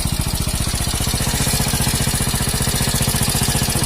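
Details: Hero HF Deluxe motorcycle after fixing crank-like noise (decarbonisation and top-end work, timing roller refitted): steady, even putter with regular firing pulses and no knock or rattle; healthy single idling smoothly.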